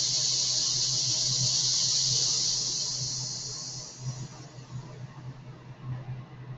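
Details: Medium-duty oxy-fuel cutting torch at shutdown, oxygen (25 psi set) bled through torch after acetylene: strong high hiss fading over about four seconds as pressure drops to zero; normal oxygen line purge.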